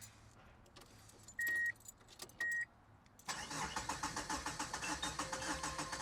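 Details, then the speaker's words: Subaru Impreza GC8 WRX EJ22, first start after coolant crossover pipe repair, fuel lines having been removed and system empty: two short starter bursts before it catches into a rough, pulsing idle; hesitant start from fuel-starved system. "And if you guys are wondering why the car had to, like, you know, hiccup before it started going, that's because, well, there was no fuel in the system."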